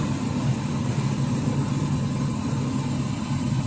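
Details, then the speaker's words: Car A/C blower on high speed (setting 4): steady heavy low hum but almost no air out of the fins, fan reading about 67 RPM; evaporator cooling coil is blocked. "Kalau orang boleh dengar daripada record nih, angin bagian blower ini memang berdengung kuat, tapi angin tidak keluar daripada fins inilah."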